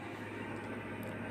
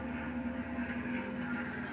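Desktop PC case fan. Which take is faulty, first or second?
second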